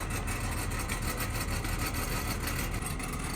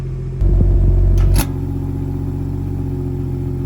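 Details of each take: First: Modern BMW idling with a loose, uneven metallic rattle: the exhaust valve actuator's bow spring broke and fell out, so the valve flap rattles inside the muffler pipe; fix is replacing the spring. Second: BMW (F34 and B58 engine) after replacing the exhaust valve actuator bow spring, bolts tightened: steady deep exhaust note stepping louder twice after clicks as the flaps open, with no rattle or buzz.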